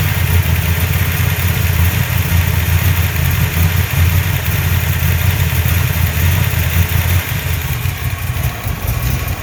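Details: 347 V8 misfiring at idle; deep, uneven lope with rhythm stumbling as a cylinder misfires; owner suspects a vacuum leak, not confirmed.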